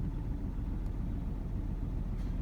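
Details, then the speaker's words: 2008 Ford Ranger XLT 3.0 V6, warmed up at idle after sitting three years, check engine light for cylinder 5 misfire: low, uneven, lumpy rumble with vibration and white smoke; rough idle from misfire. "so if you have a rough idle you definitely have a misfire"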